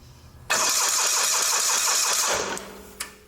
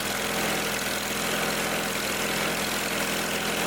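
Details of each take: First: Old Simplicity garden tractor with Onan CCKA engine: the starter cranks with even compression pulses but never fires despite good spark. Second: Old Simplicity garden tractor, after the fix: a leaky fitting with Teflon tape debris blocking it was cleared and retightened; the small single now holds a steady, even idle with no hunting or sputter, then winds down, running right.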